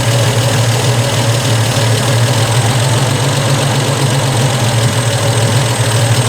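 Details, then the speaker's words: Triumph TR250 warm on stock Zenith Stromberg carburettors, after enriching one turn clockwise, air valve lifted: steady, even idle with a slight speed increase then return to normal; mixture correct. "so slight increase and return to normal idle the mixture is correct and i think that's what we're getting"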